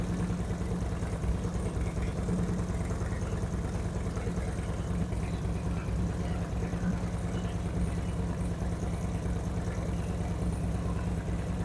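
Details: 2008 Harley-Davidson Street Glide after Screamin' Eagle 255 cam install, second start after readjusting a pushrod: steady, loping V-twin idle, deep even beat, faster crisper rev-ups, no ticks or knocks; normal idle.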